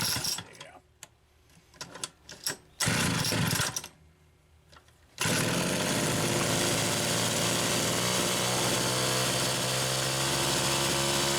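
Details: Homelite Super XL chainsaw, third carburetor test run: a few sputtering attempts, then it catches and holds a steady even buzz; runs cleanly, normal.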